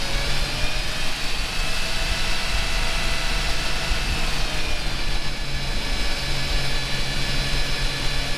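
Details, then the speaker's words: Jeep warmed up at idle after belt removed, pulley cleaned and belt refitted, fixing a high-pitched squeal above 2000–3000 rpm (owner first suspected AC compressor bearing); smooth steady hum, no squeal; normal idle after fix. "Okay, seems like the squeal's gone. I didn't hear anything."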